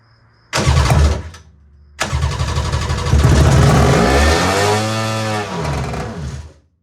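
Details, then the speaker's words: Carbureted engine in a budget 7' mini jet boat, first start ever, on the reserve fuel setting; two short cranks, then it fires and climbs fast to a high screaming rev that surges and falls off, with lots of smoke: runaway over-revving on start. "That sounded like he was trying to run away. Would you agree? Wow, that's a lot of smoke, too. H I don't really like how high that was revving."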